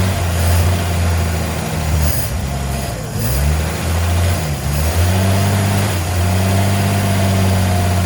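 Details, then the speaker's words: 1954 Chevy first running on gas poured into the junk carburetor: a low idle that sags and wavers, pitch dipping twice, with an open vacuum line audibly leaking. "I need to close this vacuum line too. I hear this leaking."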